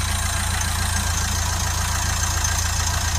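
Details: Nissan Qashqai 1.5 dCi (Renault engine) after cleaning a DPF so blocked (30+ psi back-pressure) that the engine couldn't run: steady, even diesel clatter at idle with a smooth low drone and no misses or knocks. Healthy.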